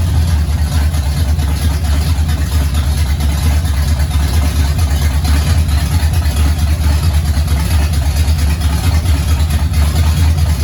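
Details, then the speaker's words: 1969 Pontiac GTO barn find with a 400ci V8, run on fuel poured from a jar, TH400 needing a rebuild and reverse doubtful: deep, even V8 rumble with no knocks, ticks or misfires. It sounds good and likes the gas. "look we've accomplished something it wouldn't do that before uh it sounds good likes the gas"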